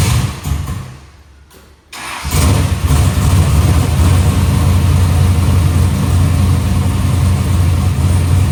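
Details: Box Chevy carburetor after a small idle mixture adjustment: starts, then holds a steady, deep, even idle with no hunting; idle AFR is back where the owner wants it.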